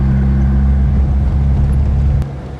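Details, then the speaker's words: Classic cruiser car under light throttle: deep, smooth low exhaust rumble with a little rumble to it, then easing off, no rattles or blowing leaks. Normal exhaust note. "I love the note of this exhaust you know yeah it has a it has a little rubber to it you know babe yeah"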